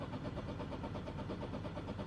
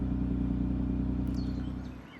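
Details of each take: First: Mk8 Ford Fiesta ST just programmed with the Mountune M225 immobilizer file. With the clutch down and the start button pushed, the starter cranks evenly for about two seconds and never fires: crank, no start from the immobilizer. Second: MK8 Ford Fiesta ST with Mountune M225 Stage 1 tune, just after the performance program was reflashed back into the car: smooth steady low idle with no misses or knocks, then fades out; engine healthy.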